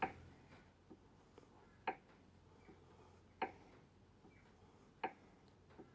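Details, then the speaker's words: BMW E92 335i N54 with an MFactory LSD diff centre just installed, crown wheel rocked by hand against a dial gauge: sharp single ticks about every 1.5 s. Backlash about 0.1 mm (0.0039 in), mid-tolerance. Normal gear lash. "So let's go to the other end, and you can hear it tick. So that's basically the play we have in those gears."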